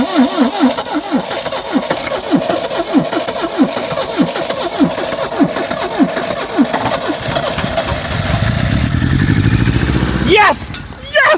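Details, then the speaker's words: 1972 Triumph Dolomite 1850 barn find, off the road 34 years: slow steady cranking, then engine catches with a rising roar and runs about a second before dying; fuel pump seized/dead, new pump needed. "she fired off for a second brilliant well guys what do you think I call that a success because to be fair the fuel pump is completely neered"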